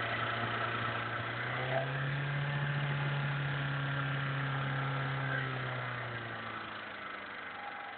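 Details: VAZ 2103 engine at steady idle: faint regular tapping about three to four per second over the engine hum; owner asks what the knock is or whether it's normal, source unknown.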